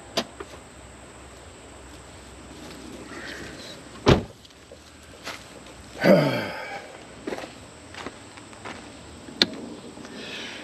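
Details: Lexus RX330 with a dead battery on a jump box that is not fully charged: the key is turned and there are only a few isolated clicks and a short whir, with no cranking. Clicking only, no crank, cause not found.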